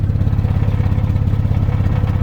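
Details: Used 2011 Jeep Wrangler Unlimited Sport: a deep, loud, rumbling drone at idle with a rough low throb and almost no treble. The muffler is failing and blowing through; a replacement has been ordered.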